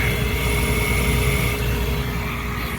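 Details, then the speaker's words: Old Trane gas package unit after no-heat lockout, with rusted igniter mount, negative-pressure gas valve: steady, even roar with faint constant hum, no puffing or flutter; burner lighting and firing cleanly with good pressure. "your arms are pressure is good and it sounds good again we'll have to get it temporized but other than that this guy ought to be all right"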